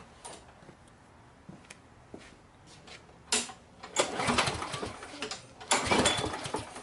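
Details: 6 hp Briggs & Stratton Quantum lawn mower (model 22305X31D), reported fuel leak: several rough recoil pulls spin the engine briefly but it never catches; no-start, cause not yet confirmed.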